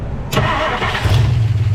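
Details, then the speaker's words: 1959 Plymouth Suburban Poly V8 with solid lifters, cold start after sitting since Friday with little choke: catches with a thump, low even idle with light normal valve clack; tired, uses oil. "A little bit clacky. Oh, it's a solid lifter motor. Yeah. Oh, that sounds awesome."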